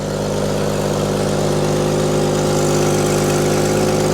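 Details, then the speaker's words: Willys Jeep truck barely run in 25 years, stumbling when cold and needing a choke cable, here warmed with a slightly raised idle: steady and even with no ticks, knocks or rattles, and a little smoke at first crank; healthy idle. "it doesn't know doesn't have any ticks any rattles it smokes a little bit when you first crank it but nothing too excessive for a truck that hasn't been run hardly at all in the last 25 years runs pretty good"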